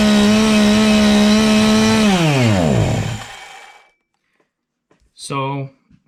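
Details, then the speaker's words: Husqvarna 350 chainsaw after the bar got pinched while cutting: engine screams at a flat full-throttle pitch with no throttle response, still revving with the chain brake on, then winds down at shutoff; throttle stuck wide open. "in that quick demonstration you can see that the saw is constantly spinning it's spinning uh at Full Throttle and when I hit the Chain break you can still hear the motor revving up at full speed"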